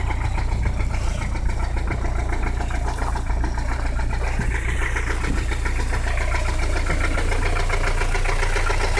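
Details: 1985 Peugeot 505 XD3 turbo diesel at steady idle with deep regular knock every turn, well above injector clatter, after hard driving; needs new engine — rod knock.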